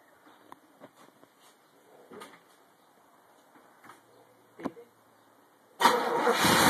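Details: 1984 Chevrolet Corvette C4 350 V8, original 58k-mile engine rebuilt and honed after standing with a head gasket leak that rusted the cylinder walls: first start, faint clicks then catches at once and runs strong and steady; normal start.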